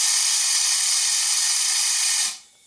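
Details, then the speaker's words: Honda VTX 1800 V-twin with sudden power loss while riding, blamed on the fuel tank breather. Compressed air blown through the breather hose hisses strongly and steadily for about two seconds, then cuts off cleanly; the line is open and coming through fine. "uh that sounds like it's coming through fine there"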